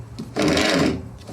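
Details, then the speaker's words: Honda HRX217 lawnmower with rear wheels locking up, rear drive gears turned by hand after cleaning and chain wax: short gritty, dry rasp, gears sound rough and need more grease. "But that that sounds rough. So, it needs more grease in it."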